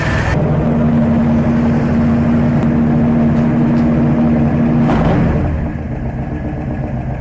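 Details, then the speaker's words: Carbureted V8 in a northern Alberta winter, after carb adjustments, already warm from heat soak: choke fully on, fast idle cam set, two pedal pumps. Steady, fast, even fast idle easing slightly lower at the end; normal. "our choke is on all the way we're on our fast idle cam I've given it two pumps I'm just going to crank it and see what happens and you can hear it trying to come up on it fast idle faster because the engine's already got some warmth to"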